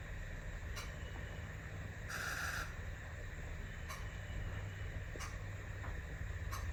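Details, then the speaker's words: Ford 6.0 diesel F450 wrecker, engine off, injector buzz test: clicks come round in sequence but injector 5 stays silent every cycle; code P0273 injector 5 circuit low, contribution fault; injector 5 not firing, wiring harness to be checked next. "We turned the injector on and off, got nothing out of it. Buzz tested it, got nothing out of it."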